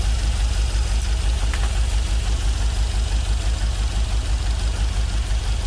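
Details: GMC Vandura van with LS V8 swap, first start after computer flash and wiring fixes: deep, even burble at steady idle, smooth regular beat, no knocks or misses; sounds healthy, no leaks.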